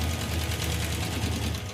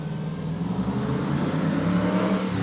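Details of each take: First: Hemi V8 in the Hemi Gremmie, which has been running hot: fast, sharp ticking rides over a rough, lumpy idle and gets louder; valve train noise, suspected collapsed hydraulic roller lifter or loose rocker arm. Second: Hemi-powered Gremlin revved hard up the street after a voltage fix, sweeping up the revs strongly and evenly with no cutting out or stumble; the rev limiting is gone and it's loud enough to set off a car alarm.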